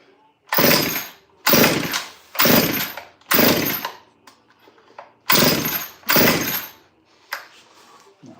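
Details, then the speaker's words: Stihl 08S chainsaw after new parts: repeated pull-cord rasps about once a second, each with a brief sputter but no catch; hard start, sputters but won't run, owner thinks it's flooding; these saws are known for leaking fuel. "She's got to be flooding out."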